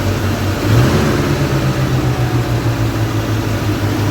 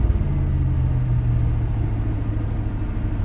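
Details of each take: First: One-owner 1979 Chevrolet Scottsdale 4x4, carbureted V8: a quick throttle blip, then a deep, even, steady idle with no misses or knocks; the engine itself sounds healthy. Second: One-owner 1979 Chevrolet Scottsdale 4x4, carbureted: steady, fast idle with an even low rumble that never settles, because the choke isn't releasing; said to need only a small carb tweak.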